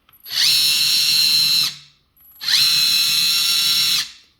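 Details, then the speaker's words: Kabolite K961 RC excavator, original state before the fix: the left track motor squeals very loudly when turning while the right track is quiet; the squeal is attributed to excessive track tension. "left track is very loud"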